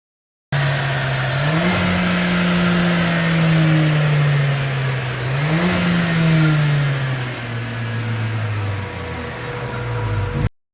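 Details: Mercedes-Benz A45 AMG turbo petrol engine on a dyno at full load after ECU reset to stock and remapped (earlier remap caused heavy knock): pulls hard with a clean, steady note, no knocking, power increased.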